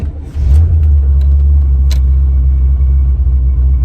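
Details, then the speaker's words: C4 Corvette V8 after an open vacuum port on the intake manifold was plugged: the idle is lumpy with dips and still wants to die, though it runs better than before. It still stalls when put in gear. "still wants to die but it's running way better than what i did before so let's start it up again"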